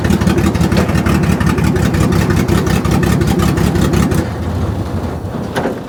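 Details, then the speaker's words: Ford Barra six in a speedway car fitted with 350 Holley carburettor on factory intake, pulling away in first: uneven, lumpy, stumbling engine under throttle that settles as it drops off; running rough, plug wires checked on, needs tuning. "Ah, that was awesome. Um, you can probably tell it's running like a hairy goat."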